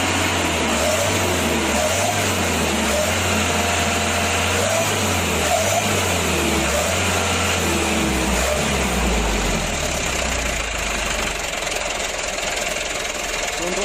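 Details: Mitsubishi Canter diesel truck that was hard to start, after adjusting fuel load, governor and idle: settles into an even, steady idle with a low unhurried beat and no misses or knocks; now starts easily, idle sounds right.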